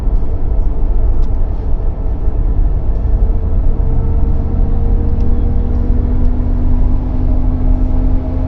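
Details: Pontiac Firebird Trans Am third gen with Posi/LSD rear differential: deep road rumble, then a steady droning hum, loud noise from the differential under load.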